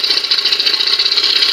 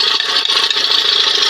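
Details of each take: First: 1997 Johnson 115 OceanRunner outboard after swapping a part that had made a chattering spring noise: fast, even, high-pitched buzz with a steady pulse and no chatter or knock; running normally. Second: Johnson 20 hp outboard running with the hood on: fast, dry chick-chick rubbing chatter from the top of the engine; owner suspects a spring chattering, and the noise disappears with another hood fitted.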